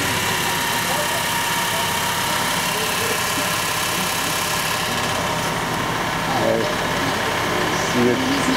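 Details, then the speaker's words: Chrysler 300 at idle with hood open, AC compressor engaged under computer control after a no-AC-operation fault: rough, gravelly churn over the engine; compressor noisy, cause not pinned down. "so now I should be able to turn the air on and hear that crappy air compressor without jumping anything"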